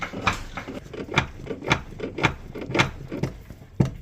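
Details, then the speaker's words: 2012 Volvo V50 D2, recorded from under the car: loose, hollow clunks in irregular bursts, as if something is loose; broken suspension strut top mount letting the strut shift. "okay so that's the sound which sounds like something's loose in the car like a clunky [Music] sound"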